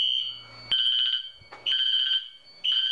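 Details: Fire alarm system test, bell and horn sounding after pull station activation, unsynced appliances: three-pulse bursts of a shrill ringing tone about one burst per second, then a pause; code three temporal evacuation pattern.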